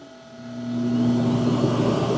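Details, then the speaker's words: Dreame X60 Max Ultra robot vacuum docking after a carpet test: smooth suction whir spins up over about a second then holds a steady even pitch, a normal dock auto-empty run. "I'll show you what it should sound like. And sometimes you hear that like duck call."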